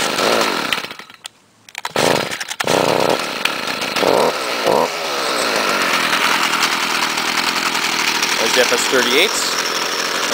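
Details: Gas trimmer, previously fixed by owner: after a couple of pulls the two-stroke fires and holds a steady high buzz without sputtering; normal running.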